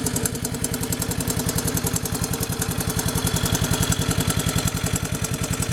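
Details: Honda 185S three-wheeler idling after oil change and recoil repair; steady, even single-cylinder thump with no sharp ticking, the earlier loud tap quieted by the oil change; idling cleanly.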